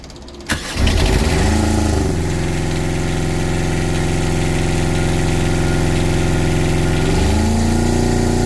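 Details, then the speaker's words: Fischer Panda generator on a Regal 36 XO boat, started after a cooling system repair with a used sensor reinstalled: short crank, catches at once and runs a smooth, even drone shifting slightly under load; normal start and idle. "So let's fire it up. I'm gonna leave you right here and watch the motor fire."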